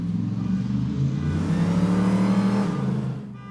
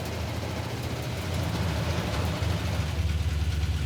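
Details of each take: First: Hemi Gremlin driven and revved hard on the street after a voltage fix for a rev-limiting problem. The engine climbs cleanly without cutting out and drops back smoothly; the rev limiting is gone. Normal revving. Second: Hemi-powered 1970s-styled Gremlin being driven while running hot at 210–220°F: lumpy V8 idle with a faint quick ticking, about three to four a second, over the rumble; a noisy lifter tick.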